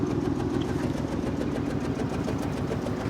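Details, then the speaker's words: 2003 Honda Accord, 3.0 L VTEC V6 (J30), scrap car marked needing number 5 coil, spark plug and valve cover gasket; idle with uneven lumpy beat, stumble about three times a second, flashing check engine light — misfire from dead cylinder. "There's our check engine light letting us know that we have a cylinder misfiring. That's why it flashes."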